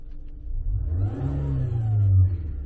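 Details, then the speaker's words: Thin whine rising and falling with a brief rev on a 2017 Nissan Altima CVT with low primary pressure, about 55 vs 72 psi target; suspected failing pump or torque converter in the bell housing, not confirmed. "so that noise right there is coming from somewhere inside the bell housing either the pump or the torque converter itself"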